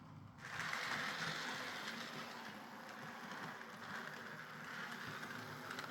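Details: Hornby R.372 Class A4 "Seagull" model locomotive, tender drive, running after repair: quiet, even motor whirr with faint rail clatter, no stutters or surges. Stop-start running was likely from excess axle oil spoiling electrical pickup; the mystery noise was traced to the valve-gear parts. Runs fine and quiet.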